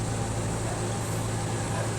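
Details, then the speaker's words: Spin dryer whose basket would not spin because it was stiff to turn, after the fix of oiling the basket; smooth, even low hum with no scraping, knocking or wobble as it spins freely, running normally. "So ayan mga kawinding, simple lang ang naging sira nito ay nilagyan lang natin lang yung langis yung yung pinaka-basket niya doon dahil matigas ipihitin yan. Ngayon okay na ito."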